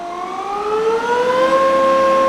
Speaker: so that's 4,000 RPM and it is really humming long